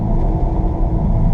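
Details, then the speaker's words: 2015 Jeep Grand Cherokee WK2 being driven: a steady low growl from the front that seems to come from the driver's side. The tone and loudness drop when turning right and shifting weight off the left front. Worn left front wheel bearing suspected. "notice how it changes tone and gets gets to be less i'll do it again here a definite change in in the in the loudness of it of the tone and and i believe that's because we're taking the the pressure a little bit of weight off this left front and putting it on the right front"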